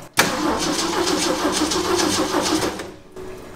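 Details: 1966 Ford F100 with the 300 six-cylinder, points being cleaned with sandpaper: the starter cranks evenly about three to four beats a second for nearly three seconds without catching; no spark from dirty ignition points.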